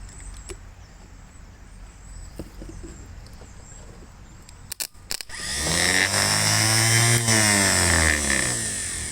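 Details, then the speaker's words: 1957 Gravely LI starter bench-tested on a battery after cleanup for slow cranking; the fix was improvised. It spins up with a smooth, even whirr, quieter and faster than before, with no drag or grinding. "starter seems to be spinning even faster than it was before"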